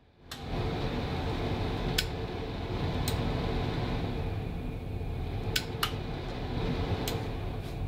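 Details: Basement bathroom exhaust fan switched by a newly installed smart relay; steady, even whoosh with a low hum, no rattle or scrape; runs normally.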